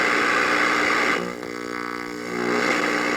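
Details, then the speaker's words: 1951 Northern Electric Baby Champ tube radio, ultra probe held near the oscillator coil: steady hiss-like rush that dips briefly then returns, indicating the oscillator is running normally. "to see if the oscillator is running in a radio like this using the ultra probe, you just go close to the oscillator coil and there should be a rushing noise."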